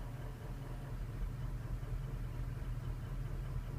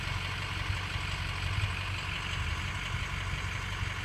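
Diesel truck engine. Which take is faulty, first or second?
first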